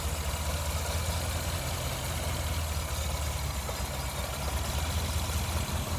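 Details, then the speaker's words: Le Mans green Mk1 Ford Escort idling after fitting a standard crossmember and mounts in place of the World Cup competition crossmember, plus an electric fan kit. Low, steady, even rumble with no shake, knock or surging. The car no longer shakes. Normal idle. "Crossmember and mounts all fitted. Made a hell of a difference. The car doesn't shake anymore."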